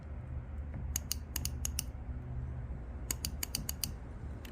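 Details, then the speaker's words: 2010 Audi Q5 3.2 fuel injector on bench, solenoid pulsed by momentary switch: sharp crisp clicks in two quick runs of about six over low hum; injector solenoid actuating normally. "that's when I press the momentary switch the soleno clicks"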